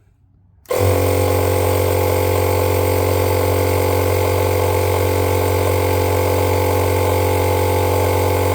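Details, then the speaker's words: Electric fuel pump on an FCR 37-carb racing bike switched on during fuel-system cleaning, blowing methanol out of the line; gauge reads check-valve cracking pressure about 3.5 PSI. Sharp kick-in, then steady even buzzing hum with fine pulsing, no surging: normal pump operation. "it's it's cleaning the line out it's blowing all the out of it all the methanol"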